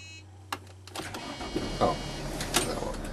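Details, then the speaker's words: Mercedes Sprinter van with a no-start: first key turn gave only a click from the engine; on the retry, sharp clicks, then the engine catches and runs steadily. Intermittent no-start. "started that time. But you can see the first time click came from the engine and and it didn't work and the second time it came on."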